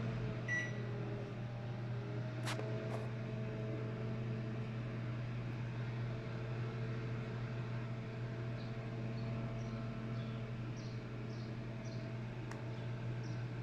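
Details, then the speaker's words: LG microwave that counted down but didn't heat or hum, after replacing the door switch: steady low hum with fan whir, no buzzing or crackle; now running and heating water normally. "Ya prendió. A ver, vamos a darle. Ya no hizo el fallo. A ver, vamos a ver. Sí, calienta."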